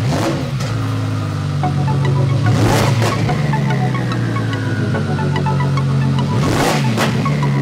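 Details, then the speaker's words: Audi R8 V10 Plus with Sheepey Race Stage 1 twin-turbo kit and water system pump, cold start: catches, flares high, then settles into a loud fast idle with a deep even rumble. Normal cold start. "So with that being said, let's start her up. It'll be a cold start, so you're in for a treat."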